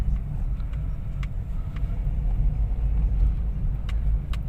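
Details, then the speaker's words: Toyota Wigo driving on road after replacing two stabilizer bar bushings, following earlier stabilizer link and shock mount replacement: steady low road rumble, the suspension clunk now gone. "Okay wala na sir may naririnig ka ba sir Wala na Wala okay na okay na"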